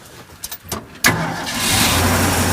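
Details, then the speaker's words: V8 truck fired up after carburetor tuning and intake reassembly: a few light clicks then it catches at once and settles to a steady even idle, a little high, maybe choke on. ">> Oh, man. Wow. That's nice. Idle's a little high. Maybe the choke is on."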